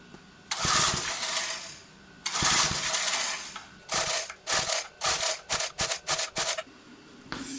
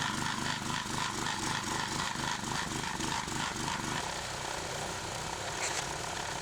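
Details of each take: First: Old 20-ton Clarke Log Buster log splitter that sat outside 10–12 years, with a roughly 3.25–3.5 hp Briggs & Stratton engine and a new replacement carburetor: repeated rasping recoil pulls, quickening, and the engine never fires. It won't start after hours of work. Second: Clarke 20-ton log splitter after its original engine was replaced with a 5 hp engine, splitting bigger logs: a steady, even putter of about three and a half beats a second with no bogging. It is running healthy.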